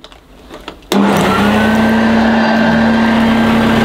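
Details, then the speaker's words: 1982 Hoover Junior Dirtsearcher U1108 upright vacuum: strong steady motor whine sagging slightly under brushroll drag as the agitator stalls because it needs a new belt. "i could hear the agitator stalling it's because it needs a new belt"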